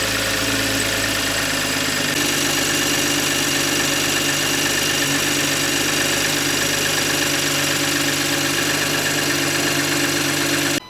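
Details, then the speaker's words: A90 Toyota Supra after installing a new turbo (old turbine wheel had play and ground when spun): steady even idle with no grinding, rattle or whistle; healthy. "So, after 2 days, finally got good old Betsy running again. Had to put a new turbo in."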